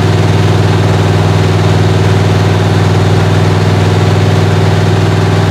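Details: 1977 Chevrolet Malibu V8 during cold start and cam break-in, head temperature gauge rising toward 150–180; even, steady fast idle with smooth deep pulse about four beats a second, no knocks or misses; normal high idle.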